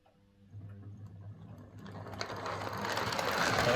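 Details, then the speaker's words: Model locomotive motor on a Morley Vector Zero Three Crawler controller instead of a Hornby HM2000, whose PWM caused buzz and grinding: soft whir with light gear ticking building in speed, quieter, no harsh grinding. "definitely quieter"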